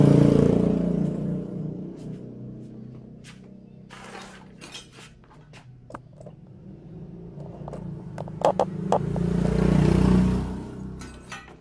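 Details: Four-stroke motorcycle, carburettor recently serviced but still using too much fuel, valve clearance checked and re-adjusted and air screw reset: revs rise to a blip, settle to a quiet idle and rev again cleanly with no valve clatter; normal running.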